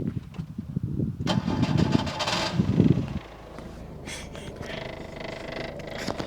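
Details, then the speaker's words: 1994 Skoda Favorit 1.3 petrol (68 hp), very used survivor: loud, rough, whirring starter crank for a few seconds before the engine catches; noisy but normal starter for this model. "considering releasing a car in 1994 with the starter motor sound like this is uh yeah they didn't apparently scoda didn't really think much of First Impressions"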